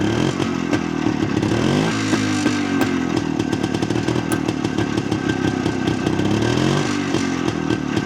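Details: Jawa 250 type 353 two-stroke motorcycle, first start after restoration and adjustment: steady running with an uneven clatter and sharp ticks over the exhaust beat; owner hears a strange noise, source unknown, persists with cover off.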